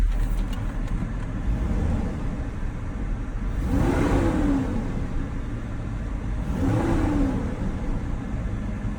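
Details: Truck at Copart, engine running with AC on and blowing cold: two clean throttle blips rise and fall smoothly from a steady idle with no knocks or rattles; engine revs freely and sounds healthy.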